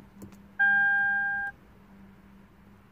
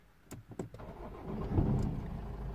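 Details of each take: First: 2008 Lexus IS220d diesel, neglected, battery-drain car after alternator replacement, battery on charge: two dash chimes then starter cranks steadily but engine never fires; crank no start, key not detected, flat battery or similar suspected. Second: Lexus IS220d diesel, badly neglected, after alternator replacement and electrical fault repair with a 50 amp fuse fitted, restarted after half an hour off: short crank, catches at once and idles steadily, airbag light now off; normal start.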